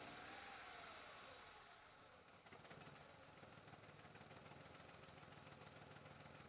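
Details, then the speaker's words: 2004 VW Polo 9N 1.2 L petrol, 40 kW, check engine light on: engine starts and idles with an uneven, stumbling, shaking beat from a cylinder misfire. "that's what it sounds like. And the engine almost wants to jump out on us here."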